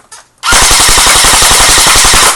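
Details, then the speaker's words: Echo1 airsoft electric gun on full auto with a magazine full of BBs, fired into a BB catcher: rapid, even burst of about ten shots a second with no loud pop or echo; normal feeding and cycling. "notice how you don't hear like a loud pop or an echo noise I'm shooting BB's now"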